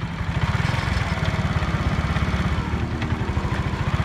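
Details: Honda CD70 motorcycle at idle: low, quick chuffing, roughly a dozen pulses a second, with a dull rattle underneath; clutch-side cover opened shows worn, loose clutch gear (girari) with play, to be replaced.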